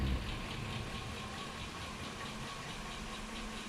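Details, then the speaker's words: 2005 Chevy Suburban 5.3L V8 idling about 20 minutes with engine flush before the oil drain: a faint, fast, regular tick over a quiet idle. A passenger-side hydraulic lifter tick is suspected; new lifters are the fallback if the flush fails. "this is like a first ditch effort of trying to get the lifter to kind of loosen up and if it doesn't loosen up then the only real solution for these is like yank in the head put a new set of lifters in"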